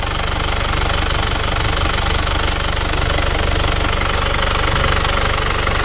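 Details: Isuzu Panther diesel after engine rebuild, aftermarket liners swapped for used original ones to cure compression blow-by: steady even idle clatter, no misses, no smoke from breather or exhaust; normal idle.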